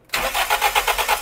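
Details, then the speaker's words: Toyota Lovelife engine, compression test on cylinder 2 with its spark plug out: steady starter cranking at about seven even pulses a second. Reads about 105 versus 120 on cylinder 1, whose plug was oily, so compression is uneven and low. "So, mga kapatid, nakita nyo, yung isa 120. Ito ay almost 100 lang yung kanyang palo. Nasa mga 105."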